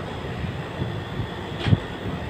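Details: Aircon compressor that had been stuck, revived using capacitors wired in parallel (100): low steady hum, no catching, clicking or stalling; compressor now running normally.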